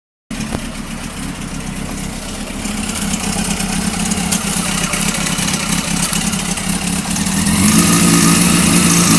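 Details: Honda CBR600 F3 just bought, idling: busy metallic top-end rattle about four ticks a second, louder as revs rise slightly; owner wonders if cam chain tensioner, not confirmed.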